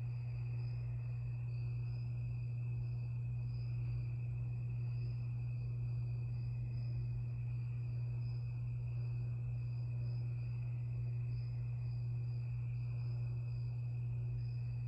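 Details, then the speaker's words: 52-inch Harbor Breeze Lakeside II ceiling fan before restoring, bad capacitor: works only on low speed on all three settings, reverse switch fitted wrong. Loud steady low hum with faint high ticking. "it only has one speed low only and it has a back capacitor"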